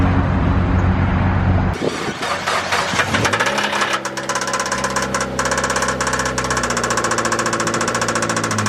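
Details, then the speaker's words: Newly bought Mazda Miata: engine catches and idles with a deeper tapping knock, about two per second, apparently upper valvetrain; deeper than normal lifter tick but not deep enough for rod knock, owner suspects a stuck lifter, unconfirmed. "Well, it runs. Hopefully you guys could hear that. I have no idea what it could be. Maybe a stuck lifter or something. This is nothing I've ever dealt with or heard. It's not like the normal lifter tick. It's a little bit deeper, but it's not nearly deep enough to be like a rod or something."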